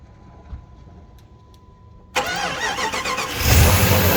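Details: 1997 Jeep Grand Cherokee ZJ 5.2L V8 just after installing a billet power steering pump bracket; starter cranks briefly, engine catches and settles into an even idle with no squeal or knock from the belt or pulley side.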